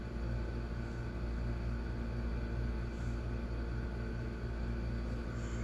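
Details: 2002 Hyundai Accent, injector petrol (no distributor), previously crank-no-start with injector circuit low codes P0261/P0264/P0267/P0270. Started with the ECU fuse fed 12V externally, no codes: low steady even idle, no knocks or misses; running normally.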